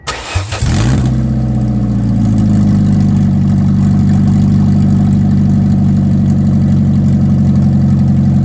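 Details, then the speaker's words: Ford Escort after installing a new header with no exhaust fitted, to fix a failed inspection for side-exit exhaust: starter cranks, engine catches and settles into a loud, deep, raspy open-header idle rumble. "Yep, sounds like an open pair of headers."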